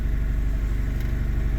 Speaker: whoa it's idling normally ish it isn't warmed up though so that might just be the fast idle steam coming off I'm hoping that's just cooler that could just be the high idle